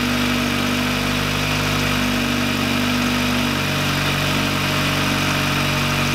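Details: VW Lupo 1.8T turbo after engine-failure rebuild (H-beam rods, new bearings, 2 mm head gasket): steady even idle with constant low hum, no knocks or misses; runs very well.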